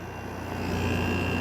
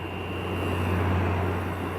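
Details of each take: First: Made-in-China Kool King window air conditioner with a GMCC compressor, coil somewhat blocked, running after its full start-up stage; steady, even hum with a low drone, no knocks or rattles: normal running at low load. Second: Kool King window air conditioner running under high load, room at 71°F; a thin, steady high-pitched whine sits above the low running hum and is audible from far away.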